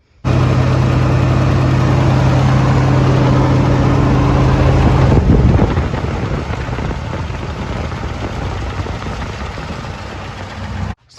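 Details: Engine starts, then settles into a steady, even drone that eases off after a few seconds; runs cleanly with no misfire or stumble.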